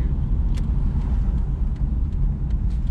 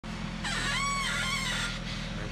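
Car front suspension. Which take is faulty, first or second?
second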